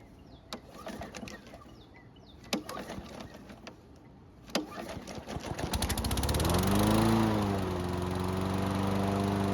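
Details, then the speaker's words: Nearly new Toro push mower, hot restart after 10 minutes' warm-up: two failed pull-cord rips, then the third pull catches into a steady run; hard hot restart suggests valve clearances may be off and need inspection. "If you're okay with multiple pulls to restart the engine, then that's your choice. However, the multiple pulls also tells us that the valve clearances might be off and needs an inspection."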